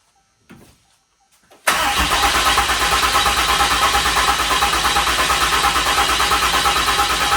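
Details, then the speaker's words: 6.7 Cummins swapped into 2nd-gen Mega Cab, first fire; lift pump feeding CP3; about six seconds of steady cranking at three beats per second without catching until fuel pressurizes: extended crank, no start from unprimed fuel system. "All right. Now we click it on and we cycle more fuel to it. Cuz it's got to pressurize."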